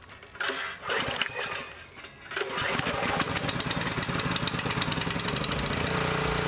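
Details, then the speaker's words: Honda GX200 clone single-cylinder engine after carburetor cleaning: rough catch then steady even run with no hunting or surging; cleaning fixed the idle search problem, running well. "All right, so that's running pretty good. The carburetor cleaning has fixed the idle search problem, and the engine is running pretty good."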